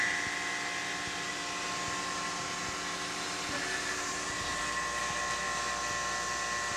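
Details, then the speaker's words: Tormach CNC mill cutting a 4140 steel stripper plate via HSMWorks toolpath: steady even cut, smooth hiss with faint steady tones, no chatter, a good chip stream coming off. "listen to that folks isn't that incredible going to move the camera and see you can see that chip stream coming off"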